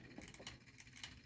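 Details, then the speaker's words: 3D-printed Newman pulse motor, smaller prototype cut down by at least 40%, at 2.3 volts: faint light clicks a few times a second over soft whir, rotor still turning steadily; normal running. "still going that is nice"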